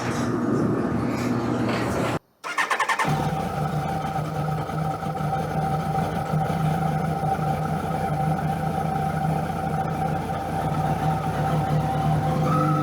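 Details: 2001 Kawasaki ZX12R barn find after freeing the stuck choke cable: catches after a brief crank and settles into a steady, even idle with no misses or knocks; normal start and idle.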